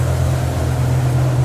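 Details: BMW E60 M5 V10 at idle with a deep, uneven exhaust rumble and lumpy pulse; per mechanic it is missing the entire right bank, running on maybe six to eight cylinders, with hot air from one side and barely warm from the other.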